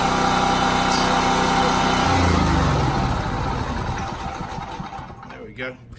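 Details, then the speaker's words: Champion 3800 W dual-fuel 224cc generator at its monthly start, running normally; catches and settles to an even, steady drone with no knocks or misses, then winds down. "But it works well. It's actually, even though it sounds noisy, it's actually quite quiet. It is much quieter than our old one."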